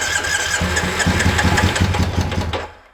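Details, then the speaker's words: 2001 Triumph Bonneville T100 starting on choke after a long lay-up outdoors, with spark and fuel confirmed: catches with an uneven, lumpy beat, running on one cylinder and knocking badly. "it's running on one cylinder knocking terribly though awful knock"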